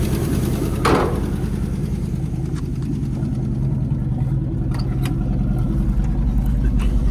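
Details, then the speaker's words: Old GMC squarebody pickup V8 with broken motor mount: loping and stumbling at low revs with an uneven beat, seemingly not firing on all cylinders; may need plugs, cause unclear. "I don't think it's hitting on all the cylinders. It might need some plugs."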